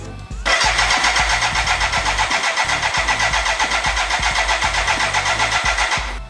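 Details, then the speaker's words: BMW K100 cafe racer build, start attempt: even cranking about four pulses a second for six seconds, never catches; too much fuel coming out of the exhaust, plugs likely wet, flooding traced to a faulty coolant temperature sensor. "no start again no start okay so our next step is yeah it's coming out of the exhaust again so the next i don't know why it's so much fuel though maybe it's too much fuel"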